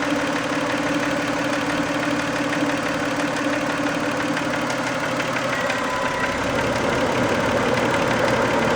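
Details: 1990 Toyota Camry 2VZ-FE V6 idling warm after a 15-minute drive: fairly steady light knock, roughly three per second, over the idle; knock later disappeared, owner guesses sludge/varnish stuck on a shim/bucket, cause unconfirmed.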